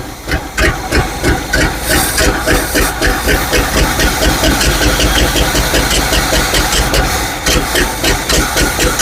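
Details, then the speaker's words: 1970 GMC 2500 3/4-ton truck revived, choke opening, smoke from a cylinder that was oiled: rough, uneven idle with loud exhaust chuffing and a faint airy hiss; owner suspects exhaust or vacuum leaks. "Well, it sounds like an old tractor, but still run. The louder could just be exhaust or maybe a few vacuum leaks like that one."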